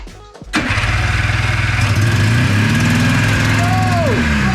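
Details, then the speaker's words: 1990s Yamaha Phazer II two-stroke snowmobile, unregistered and left outside 10 years, first start after a wiring repair: fires after a short crank into an uneven, choppy beat, apparently running on only one cylinder, with smoke; cause suspected electrical. "Look at that! It's alive! Sounds like it's running on one cylinder."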